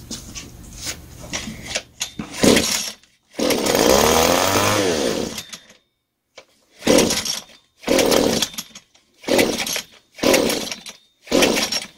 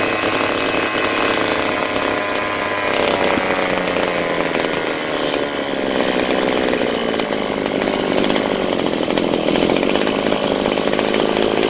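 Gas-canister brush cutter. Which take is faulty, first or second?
first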